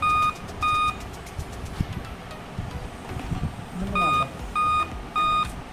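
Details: Dell laptop at power-on: sharp high beeps in a repeating group of three evenly spaced tones, a three-beep POST error code.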